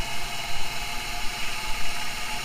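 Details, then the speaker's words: 1997 Camaro 3800 Series II V6, not fully warm, off high idle, surging at idle: with MAF sensor unplugged the idle settles to a fairly steady pulse with faint whir; MAF suspected bad or dirty, to be cleaned. "and it starts to idle the way it probably should"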